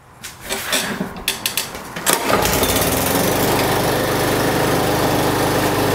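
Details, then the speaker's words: Yardworks lawnmower with Briggs and Stratton engine after fitting a new blade and bolt to fix kickback and a weird noise: rattling pull-cord tugs, then quick start and smooth, even running; no sheared flywheel key. "So that's all it was, guys. I'm glad it wasn't a sheared flywheel key or more internal damage to the engine."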